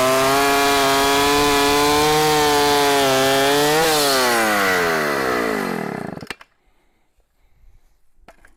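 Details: 44-year-old vintage Husqvarna L65 chainsaw with points ignition, brought out of retirement, cutting a big oak log; a strong steady high buzz pulls down briefly under load, recovers, then spools down cleanly to a stop. Still cuts well.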